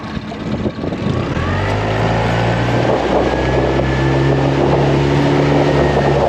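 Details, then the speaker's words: New outboard on a dinghy, first hour, half throttle with the dogs aboard: steady drone climbs smoothly in pitch as the boat gets on plane quickly, no misses or knocks; normal, healthy running. "a plane that's it and I'm half throttled and I actually have to let off cuz we're planing even quicker now"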